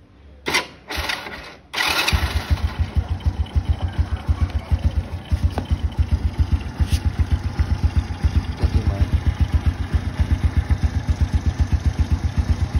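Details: Original 110 cc motorcycle engine; catches after a couple of quick tries, then settles into an even, steady idle beat, described as very quiet — normal start and idle.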